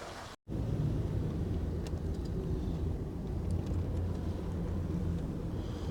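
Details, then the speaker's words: Lifted Jeep on the road after a steering fix with a new track bar and linkage: steady road rumble with no knocks or clunks, steering tight and more responsive. Owner suspects the earlier clunk came from a wobbling tire; normal steering. "Tight, dude. Way better, huh? No more clunking. Way more responsive. Yeah, I don't hear any noise."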